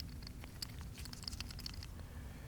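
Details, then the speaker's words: 2005 Ford F-150 with a locked-up 5.4L Triton 3-valve engine, pulled for teardown: a faint, uneven dry rattle as the idler pulley is turned by hand. The bearing is loose and worn. "Listen to that, guys. I can even rattle the bearing."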